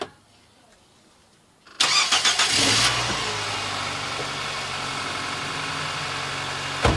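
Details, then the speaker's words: 2008 Nissan Versa CVT with codes P0746 and P0868 (solenoid A, low fluid pressure), after refilling with NS2 CVT fluid: engine cranks, catches and settles into an even idle; the earlier ticking is gone, sounds healthy. "Now it sounds better. See? I don't hear any. Remember that ticking sounds? I don't hear that anymore."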